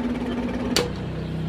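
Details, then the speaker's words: KDK stand fan runs noisy and slow with a fast rhythmic throb and sharp tick as the blade wobbles; the shaft is loose in a worn bushing. "So yun po ang kanyang problema. Umiikot naman pero maingay, maalog."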